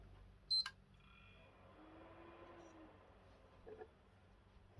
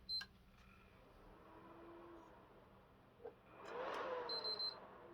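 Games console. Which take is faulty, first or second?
second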